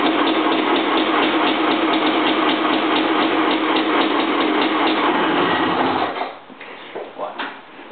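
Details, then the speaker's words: 1985 Honda CR500R two-stroke after three-week rebuild, first start: loud steady crackle with even firing for six seconds before dropping off; runs smoothly, sounds good, no misses. "Fuck, it sounds good. 3 weeks of labor. Didn't miss."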